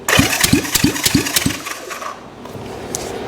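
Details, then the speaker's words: 1965 Honda CB450 Black Bomber, restored seized engine, thumb-over-plug-hole compression test cranked by jump box on starter: steady strong puffs about three per second for five or six strokes; solid compression on this cylinder. "guys that sounds pretty good that sounds way better than most of the stuff I drag here and it had a really good uh solid compression so on the thumb meter it was a it was enough"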